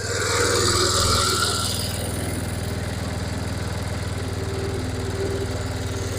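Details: Massey Ferguson 7 lawn mower, long-sitting auction buy, first running after carburetor mixture screw turned out: steady single-cylinder putter about four beats a second, even with no stumbling; normal idle.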